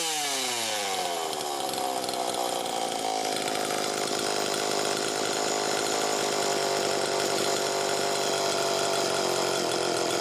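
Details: Super EZ chainsaw after repairs: revs quickly, then holds a steady, clean high-speed scream with no surging or hunting; normal running.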